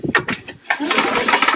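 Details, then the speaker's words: Free Craftsman snowblower with a completely dry gas tank and dark oil: several quick cranking bursts with firm, even puffs, turning over with good compression. "sounds like it has compression the gas tank is dry completely so that's good"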